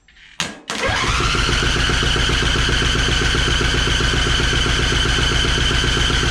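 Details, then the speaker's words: Free Craftsman riding mower that reportedly would not start, first start attempt with choke then off choke: brief crank fires almost at once into steady even idle; starts easily even without choke, though leaking fuel from the line. "We are definitely leaking some fuel here, but that cranked up pretty easy, even without the choke on."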